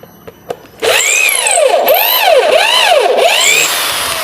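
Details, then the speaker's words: Electric drill on a 60 microfarad series capacitor (as opposed to an 8 microfarad one) for a 450 watt supply: whine rises and falls smoothly with the trigger, drilling through without bogging; motor runs normally. "dia bekerja normal untuk si bor ini dengan menggunakan kapasitor 60 mikrofarad, berbeda dengan yang 8 mikrofarad."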